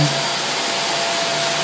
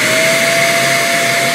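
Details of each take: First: Greenote corded bagless stick vacuum (18 kPa suction, HEPA filter) held up off the floor: thin steady whine, then a loud low hum jumps in and holds; odd harmonics that go away when the head is on the floor, cause unknown. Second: Greenote corded AC bagless stick vacuum with HEPA filter and 18 kPa suction, run as a demonstration: smooth, steady motor whine with even high airflow hiss, quiet, no rattles or surging; normal healthy running.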